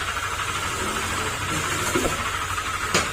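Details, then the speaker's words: Honda Click 125 scooter, 46,626 km, at idle before repair: harsh, uneven knocking with sharp raps over engine hum; mechanic attributes it to crankshaft/bottom end, possibly damaging block, engine to be torn down. "Ang sagwa ng tunog ng makina. Kapag ganyan mga sir ang tunog, matik po yan, baba kagad ang makina or sigunyal ang problema nito mga sir."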